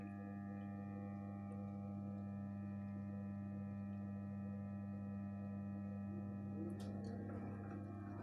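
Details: Gorenje 8 kg inverter washing machine, one year old: a steady, unchanging hum with a higher singing tone over it. A tonal whine whose source isn't pinned down.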